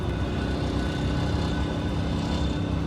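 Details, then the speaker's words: MCI 5C coach with Detroit Diesel 6V71 two-stroke after a power upgrade, climbing a steep hill in second gear at 27 mph where it normally dropped below 25: deep, steady drone under heavy load, no stumbling; strong normal pull. "well we're holding in second gear 27 miles an hour which is good this is a pretty steep hill normally dropped below 25."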